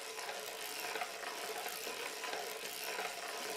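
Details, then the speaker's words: 130-year-old circular sock knitting machine cranked by hand; light, even clicking and rustle with no binding or grinding, runs smoothly with little effort. "and it runs pretty smooth there's not a lot of effort going in this right"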